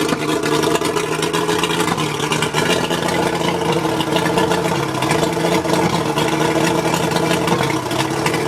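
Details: Mercury 135 outboard running rough at idle: uneven, lumpy beat and slight stumbles instead of a smooth hum. Spark plugs suspected, not confirmed.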